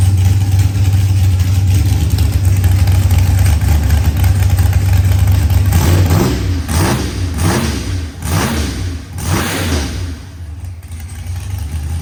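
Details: New ProCharged LS stroker with Callies crank and rods, 12.5:1 DSS pistons, ported 823 heads and BTR Stage 4 V2 cam, running after 12-1 crank-trigger start troubles: a deep, steady idle with throttle blips that rise and settle cleanly; runs normally.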